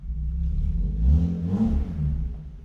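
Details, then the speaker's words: BMW E36 M3 with clogged factory muffler cut out: deep, raspy exhaust booming as the engine is revved, much louder than stock; muffler delete, power restored. "It's definitely a lot louder."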